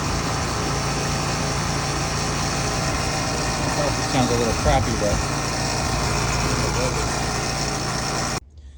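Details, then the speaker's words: AC outdoor condenser unit after replacing a buzzing cheap plastic contactor. A steady, even fan and compressor hum with no chatter; the unit runs nice and quiet; normal running. "So, um yep, easy fix. Their unit is nice and quiet and there you go."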